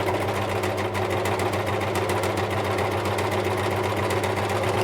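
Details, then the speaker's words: Nearly new ex-demonstration Bernette 610D serger, threaded, before service; the customer says it is noisy. At low speed a fast, loose clattering tick rides over the motor hum, and it sounds better at full speed. The rattle's cause is not found. "Actually, it almost sounds better at high speed, doesn't it? It's at that low speed. It sounds sort of rattly."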